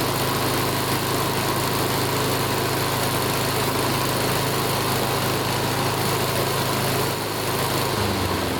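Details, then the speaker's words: Older Honda Harmony mower after full tune-up (carb, valve lash, ignition, oil), full throttle: strong even speed, steady beat, no hunting or surging; measured 1910–1920 rpm, judged perfect, normal running. "wow look at that RPM hold on let's see what it is listen to that 1910 to 1920. that's perfect let's bring it in"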